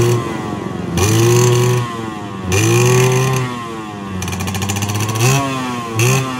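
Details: Yamaha 125Z two-stroke after a rebuild with a new connecting rod, magneto checked, stock exhaust. Crisp revs climb and fall in repeated blips, and the rumble on throttle-off heard before the repair is gone. Normal running.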